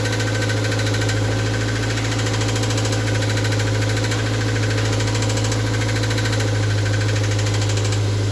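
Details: MR2 Mk3 engine at steady idle with a faint, uneven knock about two to three per second riding over it; engine knocking at idle, source not pinned down.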